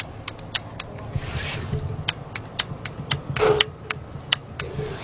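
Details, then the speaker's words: 2002 Jeep Grand Cherokee Laredo 4.0 with codes P0455/P0442 (EVAP gross and small leak): evap solenoid jumped with 12 volts from a Power Probe gives several sharp dry clicks over a quiet shop, so the solenoid works. "right it is it is actually working"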